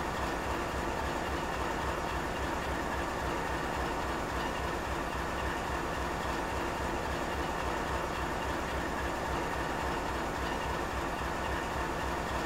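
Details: GE 7FDL16 locomotive diesel at high idle: steady, even roar with constant deep rumble, no knocks or misses; normal high idle.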